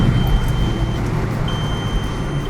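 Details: Cheap MK4 VW Jetta driving after mount, fuel filter and oil work: heavy low rumble from the wheels with two long warning beeps; road noise still to fix; worn wheel bearing noise.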